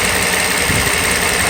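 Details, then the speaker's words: Mercedes SL600 V12 after vacuum hose leak repair, cold day, engine warm: steady even hum with no misses, surges or knocks; runs like a sewing machine, barely felt through mounts, phone stays balanced on block; smooth idle. "ok so this is a result the engine right now right now runs just like a sewing machine perfect evil would even with like low engine mounts you barely feel this engine sitting inside the car"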